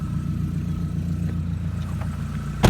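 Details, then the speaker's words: 1995 Toyota Camry, 2.2-liter four-cylinder, 4-speed automatic, 357,000 miles, replaced radiator: just after starting, a steady smooth low four-cylinder hum with no knocks or ticks and a light clunk near the end; normal idle. "Fires right up like a champ. I mean, even with all those miles, it's really just in great shape."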